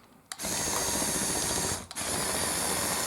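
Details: Xinyu 22011 RC bulldozer built mostly from system bricks: the small drive motor gives an even, high buzzing whine that holds steady, drops out briefly and returns at the same pitch; normal motor run.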